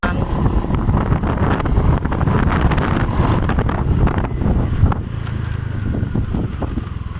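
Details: Honda Vario 125 scooter hesitating at mid and full throttle: engine revs unevenly, stumbling and surging at higher rpm under wind noise; throttle position sensor suspected faulty.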